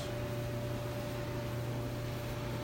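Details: Old Frigidaire GLER331AS2 dryer after a general rehab kit repair for noise, including new drum felt seals: steady low drum hum with an even drone and no thumps, squeals or scraping. It now runs smoothly.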